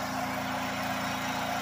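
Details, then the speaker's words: Harbor Freight generator running on wood gas from 5–10% moisture wood chips via DIY gasifier, about 1300–1700 W load including coffee pot: steady low even hum, no surging or misses; stable under load. "so I've been riding a 30 000 watt load plus I ran the coffee pot and that kicked it up to about 1700 Watts"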